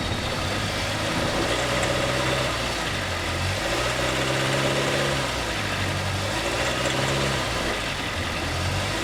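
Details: Honda City EXL 2020 bought new; noise began after some km and grew worse, dealer found nothing at 10,000 km service, electrical failure near 20,000 km, warranty denied. Idle with uneven drone swelling and fading; engine noise, source unclear.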